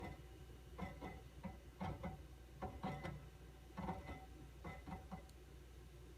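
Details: QNAP TS-419P II NAS with 8TB drives, noisy only under load and silent at idle: irregular clusters of sharp clicks, roughly one burst a second, over a steady low hum.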